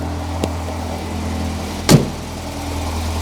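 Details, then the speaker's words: Alfa Romeo 1900 Super, started after timing the engine by piston position: low, steady hum with one brief click and no stumble, settling into a smooth, even idle. "sounds a bit happier there doesn't it"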